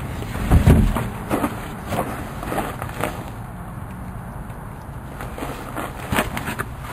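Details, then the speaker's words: Craftsman lawn mower with a 6.75 HP single-cylinder engine, running after a tune-up, carb cleaning and new pull cord, in use for over 3 years: steady low chugging beat with a few handling thumps; normal running. "gave it a tuneup and clean a carb on it and uh it's been running good and I've used it almost every week for uh almost 3 years"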